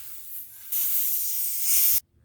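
Sharp steady hiss of escaping air that rises, then cuts off dead once the hole is sealed; air leaking through a tire puncture.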